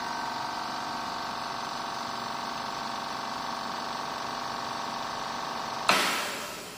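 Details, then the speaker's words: Sunshine S-959N OCA machine after repair converting a broken double-compressor setup (one dead, one weak) to a single compressor, building pressure: steady even motor hum at constant pitch for six seconds, then a sharp clunk; normal compressor running. "এটা এখন আগে ছিল যে দুইটা compressor, এখন একটা compressor দিয়ে কাজ চলতেছে।"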